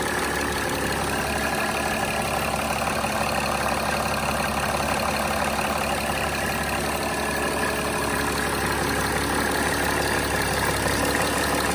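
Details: 2006 Mercedes E320 CDI, OM648 common-rail diesel, at idle just after restarting from replacing the glow plug control module and fuel rail pressure sensor, codes cleared: steady, even clatter with no misses, knocks or hunting; running normally.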